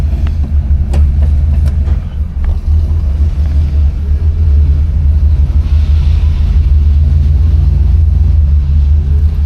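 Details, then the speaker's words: 1975 Pontiac Grand Ville convertible, 350 V8, project car on stock wheels, driving: deep steady V8 rumble, even and smooth with no ticks, rasps or leaks; exhaust sounds normal. "Sounds good. So far don't hear anything crazy off the exhaust or anything like that."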